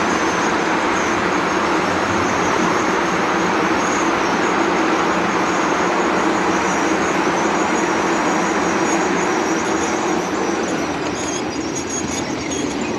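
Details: Coal-fired PRR N2s.a. locomotive descending Sand Hill; steady thin brake squeal over constant rolling roar under sustained braking on the downhill run.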